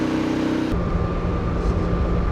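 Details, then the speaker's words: Champion 3400 W generator on gasoline running the Airstream RV air conditioner plus fridge; steady even drone with constant low hum, no hunting or surging under added load, working good. It had tripped on propane; normal running under load. "that's working good"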